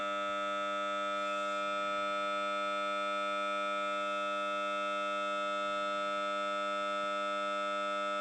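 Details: Samsung Note 9 phone speaker randomly emits a loud steady siren-like warbling buzz, about three pulses a second, with no audio content, while playing audio; only a reboot stops it; cause unknown.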